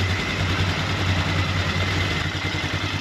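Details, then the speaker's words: 2003 Polaris Sportsman 400 ATV after a valve adjustment, timing and reassembly, at idle with the choke off: a steady, even low single-cylinder thump with no misses or knocks; it idles smoothly and sounds healthy. "Holy cow, and it sounds good! Wow! It sounds really good! That's a choke off, that's idle."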